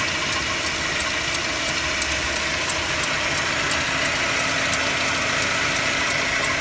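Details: Mercedes-Benz W204 with M271 engine at cold idle: a light, fairly regular tick-knock around three per second rides over the engine; cold idle knock whose source isn't pinned down.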